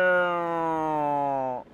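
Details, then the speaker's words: Ford Fiesta 1.4 TDCi: clear high whine sagging slightly in pitch, with heavy shaking, while turning the steering wheel; power steering whining under steering load. "Direksiyonu çevirirken zangır zangır hem titreme bir de ağlama sesi var arkadaşlar."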